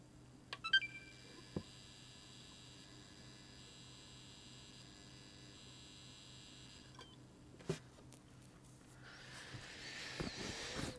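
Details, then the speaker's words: Xbox One X power supply, plugged in: thin steady high-pitched whine over a low hum, from a likely failed 450 V (or 420 V) high-voltage capacitor in the power supply. "all right so I can hear the noise coming from this um from the power supply so that means that the Cap's gonna have failed the 450 volt cap or 420 volt cap whatever it is in this"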